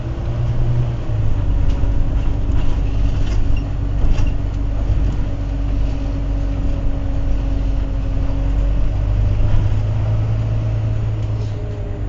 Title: Wright Eclipse Gemini 37669 X Class Gearbox Whining Louder than Usual